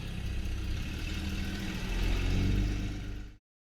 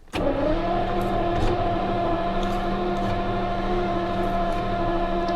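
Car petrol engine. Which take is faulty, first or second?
second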